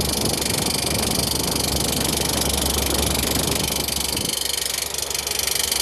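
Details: Sollich Tempe machine, Collmann drive: constant hissing, rushing drone with a faint irregular beat underneath; bearing damage suspected, not confirmed.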